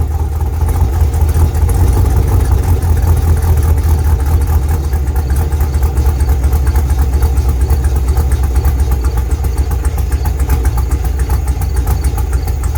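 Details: 1987 IROC-Z on cold start: steady, even idle with deep exhaust rumble and no knocks, misses or ticks; engine runs smooth and healthy.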